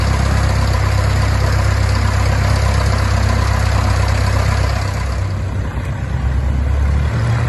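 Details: 1969 Cessna 177A Cardinal, first engine start after a 16-year restoration; steady low drone with an even fast pulse that holds without stumbling; normal idle.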